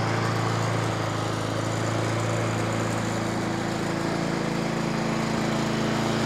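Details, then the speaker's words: Nearly new Honda Izy mower, GCV145X engine, brought in for hunting, after carb service and fresh fuel: steady, even small-engine beat with no surging or hunting; runs cleanly and smoothly. "so that sounds fantastic not a problem there at all"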